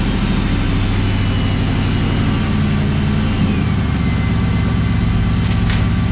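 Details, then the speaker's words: 2003 Mustang GT 4.6 V8 in budget 1965 Cobra replica, about four gallons of fuel in tank, while adjusting fuel pressure regulator: deep uneven running sags and stumbles, nearly cutting out; ran better at about 30 psi, owner suspects low incoming pressure. "huh okay so the car ran better with more fuel pressure so it's definitely definitely something's up with the regulator"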